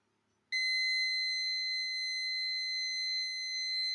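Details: Cheap online-bought car parking sensor under test: a shrill, steady high-pitched warning tone comes on abruptly and holds unbroken as an object is detected; normal warning.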